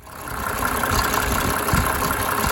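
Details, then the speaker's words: 1987 Mercedes 300 SDL, OM603 six-cylinder diesel, after replacing a squealing remanufactured alternator (suspected bad bearing). Smooth, even diesel clatter with no more belt squeal or whine: normal idle. "I love the 6-cylinder engines from Benz. They're just smooth as silk. Smooth as silk."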